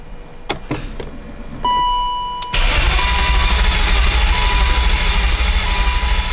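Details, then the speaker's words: BMW E39 540i Touring, chip-tuned, not running since another shop removed the transmission: clicks, a chime, then steady cranking that never catches, even with the fuel pump running non-stop and fuel pressure 45 while cranking; tachometer not rising while cranking. "so still nothing is doing exactly the same thing it was before even with the fuel pump running non-stop"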